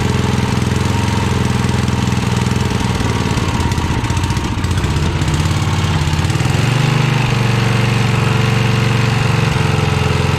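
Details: 1982 Snapper Comet riding mower, 8HP Tecumseh single-cylinder: hammering hard and fast at full throttle, steady pulse with no drop-off; only runs at full throttle, won't settle lower, carb needs adjusting.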